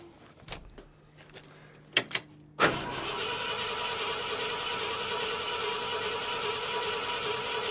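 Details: 1972 Ford F250, 66k miles, parked since 2007, with rebuilt carburetor and new fuel pump: after a few clicks the starter spins with a steady, even whirr but the engine never fires; cranks but won't start, cause not confirmed.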